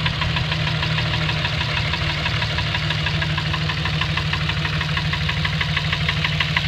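Regular sharp knocking, about three per second, sits over a steady idle; a clear internal knock whose cause is unknown.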